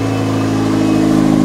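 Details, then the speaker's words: 1996 Honda Civic D16Y7 first start after home turbo install (manifold, wastegate, intercooler, oil lines), unforged stock engine: runs steady and even with a light rev blip, turbo spinning, no misses or knocks; healthy. "Turbinho ali girando. Ligou, galera. Ligou. Turbinho tá rodando, ó."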